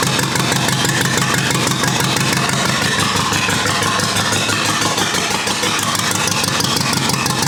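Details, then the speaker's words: Rebuilt U23 engine, first start after 25 years, idle mixture screw about two turns out: loud, choppy idle about three beats a second, ragged rhythm; carburetor not supplying enough fuel at idle. "all right so i still need to work a bit on the cobra to make sure that it has sufficient gas on idle because it doesn't for the moment"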